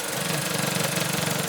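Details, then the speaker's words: Copart Mini Cooper after repair, idling with no coolant leaks: fast buzzy rattle pulsing with the engine over the idle; airbox loose because every airbox screw is stripped, no rattle when held together. "So, the reason it sounds like a badass is because there's no screws holding the thing together. Cuz if this is together, it's got a little bit of a interesting idle, but it doesn't have that rattle. That's just the airbox."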